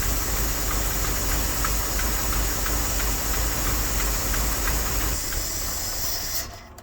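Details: Dodge W300 Club Cab V8, previously smoking heavily and missing on 2 or 3 cylinders: uneven, lumpy idle with about three stumbles a second over a hissing background, then it dies; it took 2 gallons of antifreeze. Misfire; leaking freeze plug suspected.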